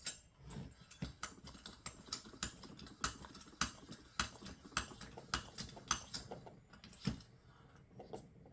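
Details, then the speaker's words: 1986 Coleman 400A Peak1 single-burner stove, pumped with the valve off during check valve and pump service: steady hand strokes, each with a clean puff and click, and the tank takes and holds pressure. The check valve works; the plunger sticks. Pump building pressure normally. "So I know that my valve in the bottom here is working, my check valve."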